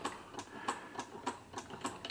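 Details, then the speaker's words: 1954 Singer 99K hand-crank sewing machine, unoiled and unserviced as received, with a wire-wrapped repair on the crank engaging dog (likely failed spring): light, even ticking about three per second, no knocks or grinding; sounds healthy. "Sounds good. I haven't oiled it, haven't done anything to it as yet, so it's basically as I got it."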